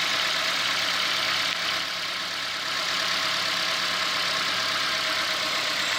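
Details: 2016 Ford Fiesta, 1.6L inline four-cylinder, about a year old: steady, smooth idle with an even hum and no knocks or ticks, quieting down about 30 seconds after the start; normal engine running noise.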